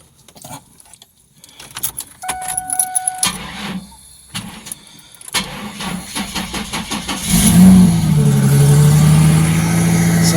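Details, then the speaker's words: Mustang with headers, wouldn't start off a battery thought to be charged; on a jump pack it cranks, catches quickly and settles into a strong, even run with smooth revs, purring like a kitten; normal start and rev. "Still ps like a kitten. Those headers don't hurt. All right, we'll let it run for a few minutes."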